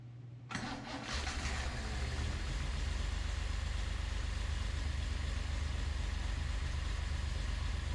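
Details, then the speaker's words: Datsun 240Z after engine rebuild, distributor rotor/cap orientation reversed with wires swapped as a test: cranks and catches, then low, lumpy, uneven idle around four beats a second; incorrect ignition timing, later set to 8-10° BTDC. "tried to start it in which it did start still ran bad but I had a lot of judgments to do"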